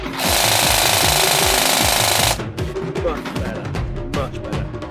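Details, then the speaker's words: Ares Scummy Badger airsoft gun with Warhead Industries brushless motor, motor height unadjusted, firing full auto: steady high even gear whine with no screeching, grinding or rattle; attributed to cheap gears and motor, otherwise healthy. "Now, because the gears are cheap, and because the motor's cheap, it does have that sort of sound about it. If it was bad shimming, or has anything sort of really fucking weird about it, then it'd be that screeching sound. This sounds like a winding sound, and that is just down to the cheapness of the gears and the moto"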